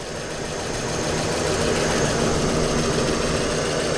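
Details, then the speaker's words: Ford V8 Pilot, after coolant change to fresh ethylene glycol antifreeze and replacement distributor and carburettor, choke in, warming up: smooth, even V8 burble at steady warm-up idle, no knocking, misfire or tapping; normal healthy idle. "yeah she's sounding pretty sweet it's a choke in is it now yeah so we'll just let it warm up"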